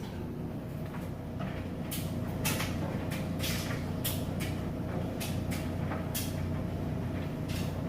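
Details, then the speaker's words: Maytag electric dryer running fully loaded and heating: an even motor hum with soft, irregular thumps of clothes tumbling, no scraping or squeal; smooth, quiet normal tumbling. "As you can see, it's still nice, smooth operation. Nice and quiet. Sounds great."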